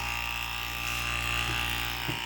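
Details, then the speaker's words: 12-volt pressure washer pump drawing from 1.3-gallon gas can on RZR 800: steady high buzzing motor whine, no load or pitch change, pump running dry and not priming, no water coming out. "sometimes that's a problem with these things they take a while to Prime up might have to get some water in them maybe let the air out over here all right so I just squeezed that and so far we got nothing I don't see any water coming not a nada"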